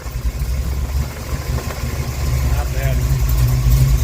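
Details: 1974 Camaro Z28 with rebuilt 400 small-block Chevy, AFR heads, idling cold in the garage: deep, even V8 idle with steady low burble, no knocks, misses or rattles; healthy.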